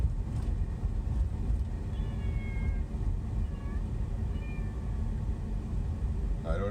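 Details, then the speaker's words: SUV driving near the fire station, radio off: steady road rumble with faint, high, wavering cat-like meows coming and going, heard only at certain spots in town for years; no recording device found, cause unknown. "if you heard that or not if it was loud enough but the radio is off and there's no just to prove I'm not nuts so if you know what that is please let me know what in the world is causing that sound"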